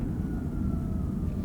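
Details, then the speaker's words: 2012 Toyota hybrid (older, no mandated pedestrian noise), slowing while driving: faint high tone sliding downward over low road rumble as regenerative braking recharges; engine shuts off at stops when charged. Normal regenerative braking whine. "the regenerating power. And of course, it's always going to turn itself off when you come to stops when it's charged up."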